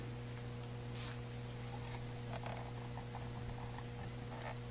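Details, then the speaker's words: Williams Whitewater pinball machine powered on: quiet, constant 120 Hz transformer buzz, not from the speaker, persisting with the sound board unplugged; likely loose vibrating laminations, barely audible with playfield lowered and glass on. "yep speakers not the speaker the transformers buzzing i'm not gonna stick the camera in there take my word for it it's doing 120 hertz"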